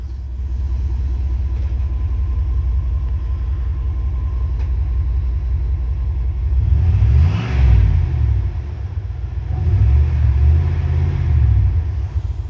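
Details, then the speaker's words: 1998 Dodge Ram 1500 with a newly welded-on muffler, in park with light revs: deep, even exhaust rumble swelling with two throttle blips, no rattles or leaks. It sounds better than before, a healthy exhaust note. "That's good. Yeah, I wish I would have showed y'all that before, but I like it. That sounds better."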